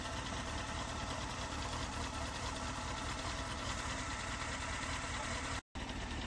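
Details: Honda CBR954RR, fast ticking over steady idle following engine speed, loudest from front near exhaust manifold; after oil change softer cold, builds as engine warms, louder when very hot and with rpm; ticking source unknown.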